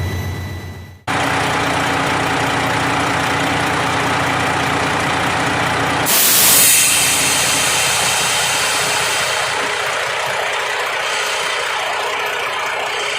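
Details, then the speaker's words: Freightliner Columbia diesel idling after the air dryer purge valve was cleaned and re-lubed: air builds to 120 psi, then one sharp purge hiss and the valve seals back up properly. "all right you see here it's up to 120 and it just purged off one good time and sealed back up"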